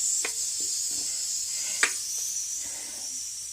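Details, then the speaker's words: Pressure canner as pressure is almost down: thin high steady hiss with faint whistle over quiet clatter; residual steam pressure remains, so the lid stays on until the whistle stops. "You can still hear the steam from it. Once it goes down, then I can take this thing right here off."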